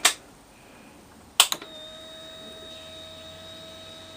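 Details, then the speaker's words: 2003 Aprilia Tuono Fighter after cleaning and tightening a corroded fuel pump connector, ignition switched on: click, steady mid-pitched hum for about 2.5 seconds, second click; fuel pump now primes normally. "can now hear the fuel pump priming this is now ready to go"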